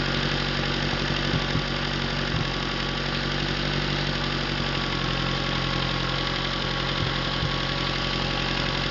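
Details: Atomic 4 inboard engine overhauled last summer (new pistons, rings, valve springs, plugs, wires, higher-flow water pump), run without choke on a test stand for a 17-foot homemade wooden boat, alternator off: steady, even low idle, smooth regular beat, no knocks or misses; normal idle.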